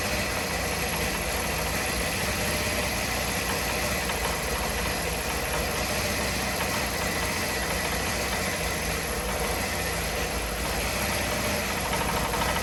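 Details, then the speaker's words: Old Honda Elite 80 scooter on the bench, no throttle cable: holds a busy, slightly uneven buzz without stalling, rough but steadier than before, its best run in a long time; owner thinks it needs exhaust back pressure. "hey there we go it doesn't sound very healthy but it's running one up three"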